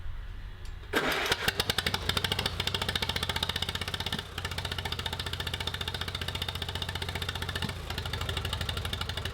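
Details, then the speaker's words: 1949 Allis Chalmers WD tractor revived with rusty cylinders, valves lapped, no exhaust fitted: uneven chugging at about 220 beats a minute with skipped beats and sharp exhaust pops; misfiring and backfiring, owner unsure, suspects a valve hanging open. "I can hear it obviously it's missing but I can almost hear like a it almost sounds like a flame flame front is getting into the exhaust something weird"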